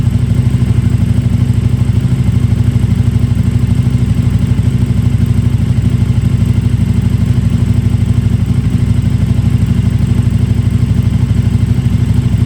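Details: KTM RC8R with a swapped-in 2020+ 3rd-gen 1290 Super Duke engine and electronics, first start after joints were safety-wired: steady, even low thrum with a regular beat, no misses, knocks or rattles; healthy idle.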